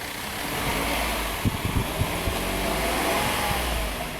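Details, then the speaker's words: 2016 Hyundai Santa Fe V6 GDI, 125,000 miles, P0018 code, flashing check engine light, revved with cam solenoid ground toggled: ragged revving with uneven pops and stumbles; misfire from cam timing estimated over 60° retarded, chain likely jumped teeth. "Well, it's missing, but that's yeah."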